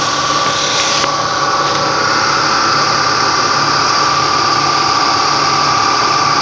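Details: Ford Mustang V6 at smooth idle with a thin, steady high whistle holding one pitch, turbo-like, from the engine front; owner thinks the alternator is good.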